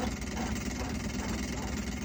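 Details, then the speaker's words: Kenmore fridge with a light, fast ticking rattle over its steady hum, coming from the back. The condenser fan blade was hitting the coils. "I've unplugged it and you can see that the fan is hitting that's the noise we're hearing super annoying"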